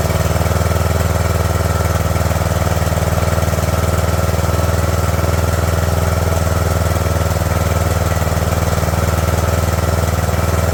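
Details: Craftsman LT2000 lawn tractor engine, cowl on, fuel solenoid hot wire reconnected, choke on: steady, fast even beat with no misses or stumbles. High idle on choke; owner wants to back the idle down.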